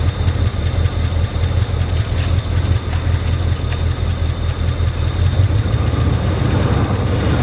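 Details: 1978/79 Chevy K20 4WD V8, sat about 15 years, first start on fuel poured into the carburetor bowl with a hot-wired distributor. A deep, even idle with a steady low rumble and no knocking or tapping. Normal idle.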